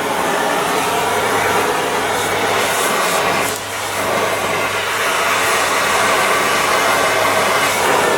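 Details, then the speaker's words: Oxy-acetylene cutting torch on 3/8" steel, neutral preheat flames, cutting lever pressed: loud steady roaring rush of cutting oxygen jet with a brief dip, then even blast; torch cutting normally. "And I'm going to then press this lever here. That's when I'm giving it the oxygen blast. Let's take a look here. Hopefully we can now actually cut"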